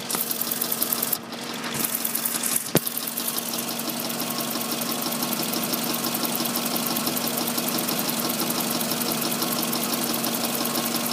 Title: Ticking noise in engine